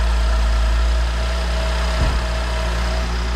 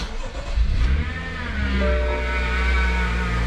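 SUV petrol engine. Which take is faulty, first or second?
second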